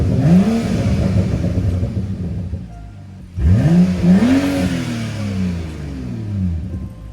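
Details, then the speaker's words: BMW F30 335i with N55 engine, exhaust removed, after fixing the cooling fan relay: two quick revs, pitch climbing sharply then falling, loud, raw and unmuffled but a pleasant tone; smoke later seen from the engine bay. "I'll do a quick little rev so you guys can hear how it sounds with no exhaust. Actually sounds pretty nice. I'm not gonna lie."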